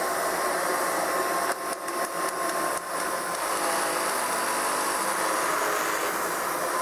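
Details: Kirby 560 vacuum after new Lexan fan fitted, running at constant speed: high rough gritty whirring from the motor plus noisy brushroll; bad motor bearings, brushroll needs replacing.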